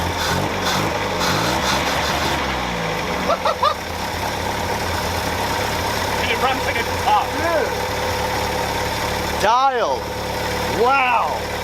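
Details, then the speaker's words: 1964 International Scout 80 four-cylinder after fuel pump swap to an electric pump and redone grounds: settles into a steady, even idle without stumbling, chirps and voices in background; running smoothly, fuel delivery fixed. "I actually really like that. I really like that. It sounds good."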